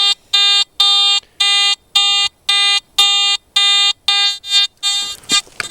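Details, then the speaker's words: Garrett AT Gold detector ground balanced at 64, scanned over a seam of hot iron-mineralized ground: buzzy tone chirping about twice a second turning ragged and erratic; ground mineralization noise. "I'm just going to keep scanning across this uh iron here it's going to drive this uh at Gold crazy watch"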